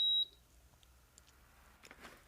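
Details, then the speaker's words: Induction cooktop with a failed start key, switched off after bridging the key pins: a single short high beep, then near silence with handling noise; normal switch-off beep. "bây giờ mình sẽ tắt đi và mình sẽ chia sẻ các bạn cách sửa chữa cái phím này"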